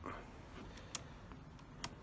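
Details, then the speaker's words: Motorcycle (Thunder Race) with LED turn signals after fitting a diode kit and new flasher relay: quiet sharp ticks about once per second, even rhythm; normal flasher relay clicking. "Excellent. All good. And that's how you fit the diode kit and the relay."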